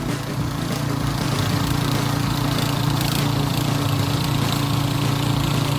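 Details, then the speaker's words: Repaired harrow/tiller with 170 petrol engine, test harrowing soil under load: single-cylinder labouring with slightly irregular, hunting beat; mechanic says running is not very even, probably because it is slightly low on fuel; uneven running. "Nghe tiếng máy nó không được đều lắm, nhưng mà hiện tại là nó hơi ít xăng. Máy nó hơi ít xăng cho nên là nó lỗ nó không được đều."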